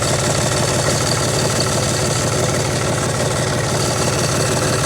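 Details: John Deere 5300 tractor idling after new alternator fitted, battery up from 11.8 V to 13.17–13.18 V: steady even diesel clatter, no misses, knocks or surging; normal idle, alternator confirmed as the problem.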